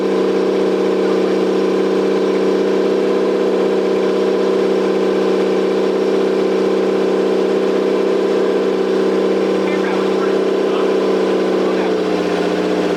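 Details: Toyota 7M-GTE straight-six (MA70 build) after a four-month rebuild and timing fix, running with no exhaust fitted and intercooler bypassed. Loud raw steady open-pipe drone holding even speed with no misses; engine running cleanly.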